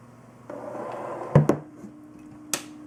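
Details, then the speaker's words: Corsair H100i all-in-one liquid cooler pump alone, powered via SATA from hot-wired power supply; faint, steady low hum with a few handling clunks, very quiet — normal pump hum. "so as you can see the pump is actually very very quiet"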